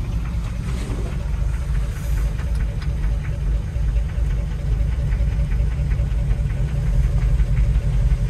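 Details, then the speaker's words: C5 Corvette V8, cold idle before winter storage: steady low knock about three per second; owner unsure whether it is a flat-tappet cam, the transmission, or a cracked flexplate or loose bolts; present since purchase, not worsening, and it runs well. "This one sounds like she's got a cam, but I think she's just cold. Oh yeah, listen to that tranny knocking."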